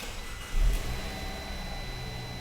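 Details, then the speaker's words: 2012 Fiat 500 four-cylinder after repairing the injector open-circuit wiring behind the P0202/P0302 misfire, check-engine light not yet cleared: quiet, even idle with no stumbles. The misfire is gone and it runs normally. "nice and smooth i have not cleared the light yet no more misfires sweet"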